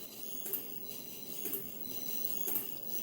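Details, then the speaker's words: 1HP three-phase motor run by a VFD fed from 12 VDC through DIY DC-DC supplies, at 22 Hz: steady high electronic whine with a click about once a second, the drive lacking enough power, later faulting for undervoltage. "22 Hertz you can hear it clicking that's it not having enough power"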